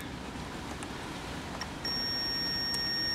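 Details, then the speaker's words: Amplifier of a 1972 Kimball Swinger 1000 organ, testing capacitors: quiet hiss, then a steady high meter beep holds; one capacitor reads very low, close to a short. "that one's pretty pretty low close to a short"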